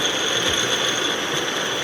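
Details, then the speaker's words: Portable line-boring machine (Matrix Ferramentas MTX-MQMP) with the rotation knob turned up from zero toward its maximum of 125 RPM; steady even whir with a constant high gear whine, no knocks or grinding, normal running. "eu vou girar o botão de rotação aumentando tá vendo que ela já tá girando tirei do zero ela começou a girar voltei para o zero ela para"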